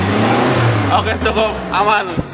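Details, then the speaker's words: Mitsubishi T120SS pickup 2012, first owner, about 88,000 km, check engine light off after start: revved from idle toward 4000 rpm, climbs smoothly and drops back with no knocks, ticks or rattles, no exhaust smoke; normal engine revving. "dari mesin suaranya masih halus berarti dia masih aman enggak ada apa namanya enggak ada ciri-ciri dia mentol kena atau club gitu ya masih aman"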